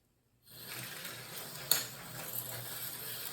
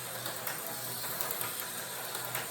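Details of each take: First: Slot car on a recovered Auto World 4-gear style chassis with a non-magnet traction top plate and brass center gear gives a high gear whir with faint scraping drag and clicks; something dragging, running rougher than expected. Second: Rebuilt, freshly oiled slot car chassis under a tall square body: a steady light whir of motor and gears with no catching or clicking as it laps; running smoothly, though its magnet is weaker than another chassis.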